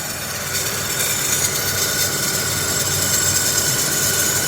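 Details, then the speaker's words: Newly bought project car running with the service engine soon light on, owner says it needs a tune-up: a raspy, hissing grind rides steadily above a quiet idle from the spinning AC compressor clutch, which is noisy and worn out. "and you can probably already hear the noise I'm talking about with the AC compressor is noisy"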